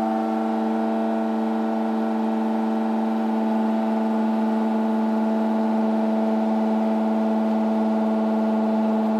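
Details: LG F1403RD washer-dryer running a timer-delayed night wash: loud, steady siren-like drone at one pitch with a hum underneath. Cause unknown.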